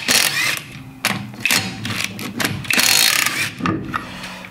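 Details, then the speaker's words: Renault Trafic rear drum brakes with new shoes, wheel turned by hand before tightening: bursts of dry scraping coming and going with rotation as the fresh linings bed in; normal, needs a few kilometres to seat. "il va falloir que je suis une paire de kilomètres pour roder les freins"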